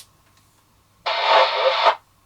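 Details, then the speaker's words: Lafayette Venus CE MultiNorm CB radio after repair (polarity fixed, intermittent transmit switch cleaned, output raised from 2.2 to roughly 3.6 W): quiet hiss, then crackly incoming signal that cuts off cleanly. Slight scratchiness from wind-blown aerials; reception fine. "it's a bit scratchy we've got a lot of wind there's no doubt blowing the aerials about so uh all right we're getting leaves back on trees and it's affecting the range so yeah i mean that uh that works fine"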